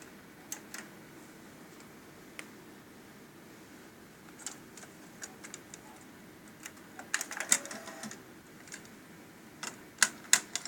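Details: Sony TC-K850ES cassette deck hard start: faint, uneven clicks from the transport, a few per second in clusters, over quiet hiss as the deck struggles to start.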